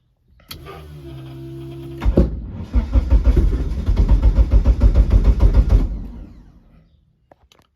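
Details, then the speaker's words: Eagle Talon engine on a DIYAutoTune MegaSquirt ECU, fixed timing at 10°: starter whir, then about four seconds of fast, uneven puffing that dies away. No-start from lost crank sync; owner notes voltage dropping during cranking. "Still just desyncing. Seems like it's going in the right direction."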